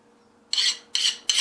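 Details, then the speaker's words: Hand file on the unhardened tang of a quenched 5160 steel knife: three bright scratchy rasping strokes biting cleanly into the soft steel, in contrast to the skating hardened blade. "see the Tang we didn't heart and listen to it and I mean you can feel it bites right in"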